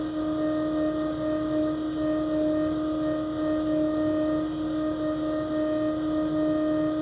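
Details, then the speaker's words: Moroso electric water pump (ICT billet remote kit) at the front of a freshly built 6.2L L86 LT Gen V V8 with Holley Terminator X, at first start-up: a steady, even mid-pitched hum with no wavering or grinding; the pump runs normally. "maybe we'll start over by the way if you hear that humming that is the electric water pump up front"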